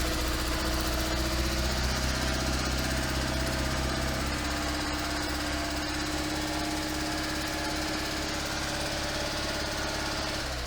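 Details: 1972 Invacar Model 70 engine, cowling off, after tightening the loose 27 mm main pulley bolt. It runs steadily with an even, fast chuffing beat and no belt slapping: normal running.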